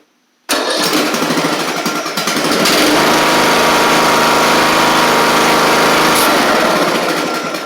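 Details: Craftsman riding mower with new carburetor, after an erratic starter needed knocking: the engine fires after half a second, revs up and settles into a steady, even buzzing run; it starts right up and runs normally, though the owner will swap the starter back to the original.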